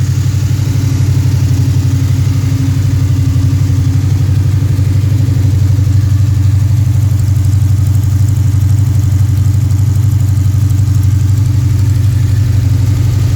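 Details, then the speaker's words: Freshly built Pontiac 428 V8, probably a 1969, tri-power, 9.5:1 forged pistons, mild cam: steady even idle about 900-950 rpm, slightly high for the cam, smooth mild lope, no knocks or misses; normal idle. "But that's the idle. It's not real radical. It's got just a nice sound to it."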